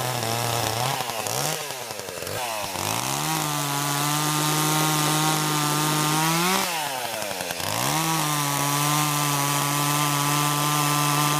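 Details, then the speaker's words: Chainsaw unused since about early December: high buzz sags and drags down in pitch in spells then recovers, bogging and dying a little under load; cause unclear. "[Music] I don't know if you can hear that running but it's a kind of bond out in dying a little bit"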